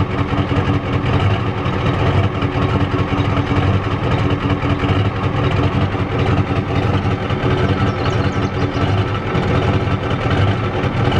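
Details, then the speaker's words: 1993 Ford F-250 XLT 7.3L IDI diesel, started after sitting about a year on a weak battery: uneven, lumpy clatter at idle with the engine shaking; owner believes it is out of time and that the injection pump needs replacing. "not running too good guys it's out of time that's for sure"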